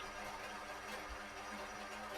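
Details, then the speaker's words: ProTek-RC .21 Samurai RM nitro RC engine on dyno, 4th heat cycle, OS TB02 pipe with 75mm manifold, Nitro Pro JTP fuel, tuned from the rich side; fast, steady, even idle with no misses or surging: normal idle. "Got a good idle, everything's good."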